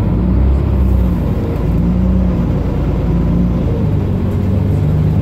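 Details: Mercedes-Benz Citaro O530 LE bus, OM457hLA 12-litre Euro 5 diesel (299 hp), ZF Ecolife 6AP1700B automatic with overdrive, 12,450 kg: deep road rumble with a faint low whine that comes and goes while driving; the fleet's only noisy Ecolife gearbox.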